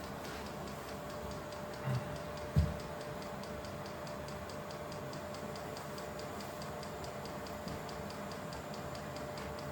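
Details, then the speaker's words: Vevor 8 kW Chinese diesel heater running normally after its startup profile, fan cranked up, drawing around 4 A: even fan hum with light, regular fuel-pump ticking underneath. "Okay, so we're back running as per normal. So that is the startup profile."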